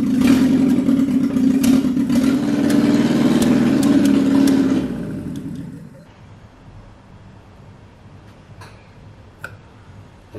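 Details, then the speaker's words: Classic Alfa Romeo with rebuilt Weber 40 DCOE 2 carburettors, new intake manifold gasket seals just fitted: uneven, lumpy running with irregular popping for about five seconds before dying away, keeps losing speed; rough running before tightening the plate and adjusting idle mixture. "like poop they sound like poop keep losing"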